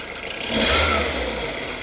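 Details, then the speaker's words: Skoda Rapid 1.6 16V CFNA (105 hp), bought used, brought in for an engine knock and odd exhaust: now warm, one clean blip rising and falling back to idle with no knock; harsh only when cold; sounds normal now. "Так, ребят, сейчас звук у мотора нормализовался, но он у меня на самом деле уже и прогрет."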